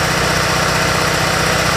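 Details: RevCon motorhome generator after sitting about 10 years with probably bad fuel, now with an oil change and two new spark plugs, running from a gas can for about ten minutes: steady, even, smooth drone with no knocks or misses.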